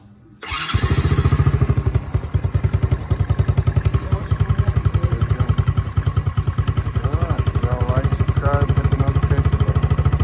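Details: Kids' Chinese 110 ATV that only clicked, after reinstalling the starter motor and before refitting the footboard: brief crank, then catches and settles into a steady, even putter at smooth idle; normal start and idle.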